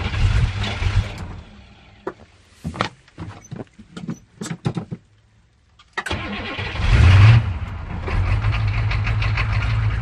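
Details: 1985 Chevrolet M1008 with 6.2 V8 diesel, first cold start after a week under snow: starter grinds in bursts, engine catches and settles into a lumpy, uneven low idle; rough idle after cold start.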